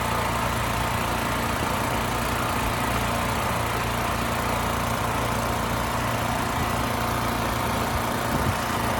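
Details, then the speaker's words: Westinghouse 7,000-watt electric-start generator that would not start, with a rusted gas tank and gummed carburetor. After carb cleaning, fresh fuel and pilot jet/emulsion tube work, a steady, even drone with no hunting or stumbling; it runs smooth and healthy. "All right, that was really good. The engine smoothed right out, no issues."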